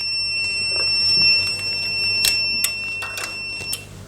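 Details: APC SRT 5kVA UPS (247 V input, fault P.16, event code 125) sounds a steady high-pitched alarm with faint clicks for a negative DC bus soft start fault. Zero volts are measured and the path is not forming.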